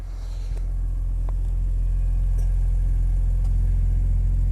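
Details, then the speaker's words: BMW Z4 M roadster with S54 engine, listened at the tailpipe during a used-car inspection: smooth, deep, even idle rumble with no puffing, ticking or hissing; no exhaust leaks heard underneath. "exhaust sounds nice I don't hear any exhaust leaks underneath the car so that's good"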